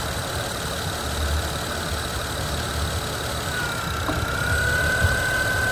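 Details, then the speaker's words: Honda at a dealership shop idles with a thin high-pitched whine that rises then holds constant pitch; noise stops when the alternator plug is unplugged and returns when reconnected, diagnosed as a bad alternator. "so if I come over here and unplug it the noise goes away so to me that is an ALT a bad alternator"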